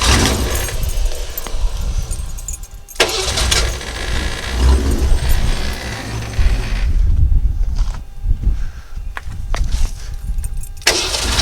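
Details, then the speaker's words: 1963½ Ford Falcon Futura, sat 18 years, after new rotor, distributor cap and battery, started after sitting overnight: churns, catches, runs ragged with uneven thumps before settling; stumbling start, blow-by noted. "so obviously she still has a little bit of a stumbling start up there we're gonna see if we can't clean that out"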